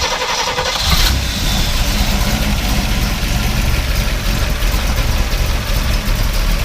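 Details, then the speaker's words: 1968 Pontiac Firebird convertible with factory 400 V8 and 4-speed, with Mickey Thompson valve covers: after a short crank it settles into a steady, deep, even idle with no knocks, ticks or weird noises; normal healthy start and idle. "you know sounds really good no weird noises or anything like that runs too clean"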